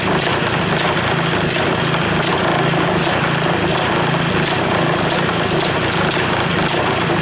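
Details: Reassembled Powerfist single-cylinder small engine idling steadily with even beat, no misses, running last fuel out of carburetor after gas shut off; rebuild runs like new; normal idle.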